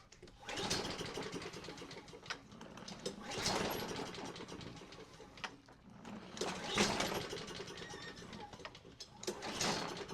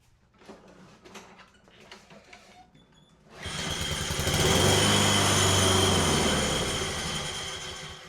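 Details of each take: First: Craftsman self-propelled mower with a Honda engine, after a carburetor clean and rebuild and starting fluid: several pull-cord cranking bursts whir freely with no puffs or catching; spark is present, and the cause proves to be zero compression. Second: Craftsman self-propelled mower after a Honda engine swap and a replacement boot refitted, test pull: catches and runs with a strong, even beat, steadying with no misfire, then shuts off as it should.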